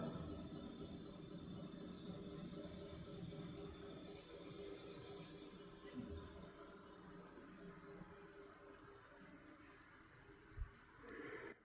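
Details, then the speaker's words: Maxx Air roof vent fan motor running at 10%: thin high chirping squeak about four times a second, after a 24-hour full-speed test and weeks of use; fixed by greasing or replacing the motor. "that's the squeak on the motor after doing the 24-hour full max test and then using it in production for a couple weeks and then leaving it on 10%."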